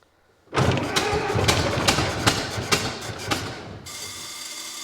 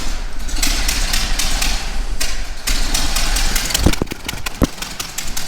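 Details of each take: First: 1924 (also called 1925) Ford Model T, unrun for many years, ignition on battery, timing being adjusted: uneven cranking with irregular catches but never fires, settling into a steady hiss; flooded engine, spark plugs coated in gas. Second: 1924 Ford Model T, not run in many years, first start-up after starter refitted: cranks, fires and runs with loose, uneven clatter for several seconds before dying; runs but crew thinks choke needs leaving more open and timing adjusting.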